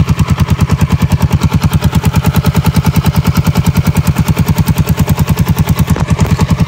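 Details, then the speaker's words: Yamaha Jupiter 5TP converted from automatic to manual with a TDR clutch block and a 1 kg balancer, tested at idle. Quick, even single-cylinder firing pulses with a steady rhythm and no knocks or rattles; idles smoothly. "untuk suara mesin pas lagi idle dan ini coba saya gas"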